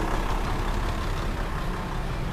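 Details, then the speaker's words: Toyota Land Cruiser VX80 idling during comparison of an original 106,000 km engine and a fully overhauled one (new pistons, rings, rods, valves): steady even rumble, no knocks or ticks; both sound nearly the same, healthy. "Ya, jadi setelah kita overhaul, ternyata suaranya nggak jauh beda sama yang orisinil."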